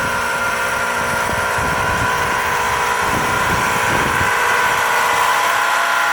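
Heat pump running with a loud steady buzzing drone and an irregular rattle underneath; unit is noisier than it should be, cause unknown.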